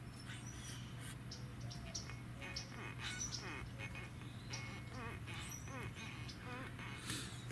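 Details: Close-up of the water pump removed during a 2ZZ engine swap into a 2003 MR2 Spyder: spun slowly by hand, it feels tight but gives faint irregular squeaks and chirps, hinting at a dry or worn bearing; red wetness seen, owner plans pump replacement.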